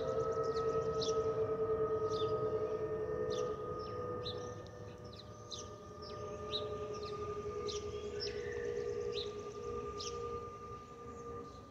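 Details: Delta Airbus A320-211 N323US cabin: steady siren-like whistling tones over cabin roar from the fuel overpressure protector (FOPP), a normal sound.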